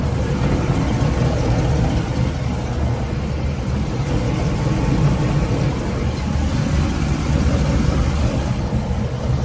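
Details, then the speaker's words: 2018 Bayliner VR5 with a MerCruiser 4.5 L V6, 200 hp, 42 hours: the sterndrive idles with a low, smooth, even burble and no knocking, ticking or hunting. Quiet, with no drips. "Sounds nice and smooth, quiet. Just wanted to show you all that. No drips or anything coming around."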